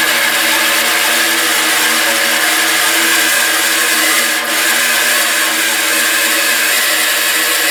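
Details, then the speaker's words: Bandsaw just fitted with new tires: constant whirring drone with steady scraping hiss on top; lower blade guide rubbing the wheel, alignment off after tire change. "gonna turn it back on I'll let you listen to that noise it's making a noise and I get to figure out what it is"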